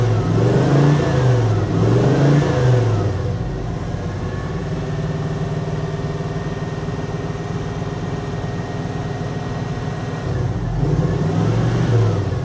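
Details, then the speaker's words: 1980 Dodge W200 with a Magnum 5.9L swap, cold start: lumpy V8 idle with about three stumbles a second between throttle blips, and weak exhaust pulses on the passenger side; dead cylinder there, with a fouled plug or burned valve suspected. "That's missing on that side. Watch over here. Hardly any pressure there. Got a dead hole on the passenger side."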